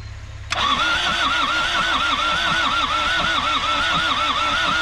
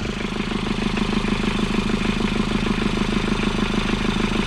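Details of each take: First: Isuzu P'up four-cylinder turbo diesel mini truck, sitting 28 years, now with fuel; starter churns the engine in a steady, even wavering rhythm but it never catches; cranks but won't start, cause unconfirmed. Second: Old Isuzu P'up turbo diesel four-cylinder mini truck, sat about 28 years: steady diesel clatter at idle, even rhythmic knock around two per second with no misses; normal diesel idle after revival.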